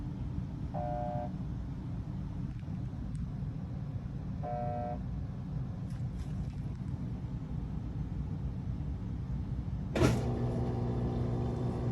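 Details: Whirlpool washer: two panel beeps, a click as the lid locks, then a strained low hum as the motor struggles and never spins, a bad capacitor.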